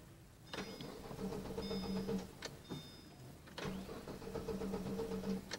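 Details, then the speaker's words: 1998 Daewoo Lanos 1.4, 280,000 km, blown head gasket: two long bursts of starter cranking without the engine catching; intermittent no-start, owner suspects a half-failed crankshaft position sensor. "well the engine runs fine after all sometimes it's not gonna run for unknown reasons maybe the CPS is half bad or I don't know what"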